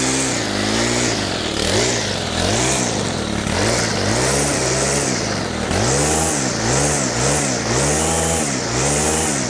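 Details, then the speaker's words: Stihl FS100 brushcutter, 4-Mix four-stroke, completely cold, on fuel said to be fresh and mixed: at wide-open throttle with the choke off, revs hunt and splutter and it dies. Cause found: slack throttle cable and excessive valve clearance. "So that was wide open throttle with the choke off, and you could see it was spluttering, dying."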